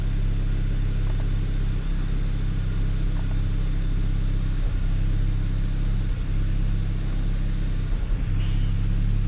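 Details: BMW E92 335i N54 after an ignition misfire repair, codes cleared, revved: steady, deep engine note with no pops or stumbles, clean firing.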